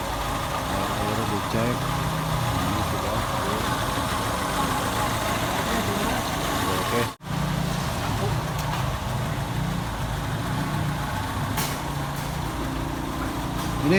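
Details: Daihatsu Classy that suddenly stalled while driving, after the distributor was changed from points to CDI: engine restarted and warming up, smooth even low idle murmur with no knocks or misses; normal idle.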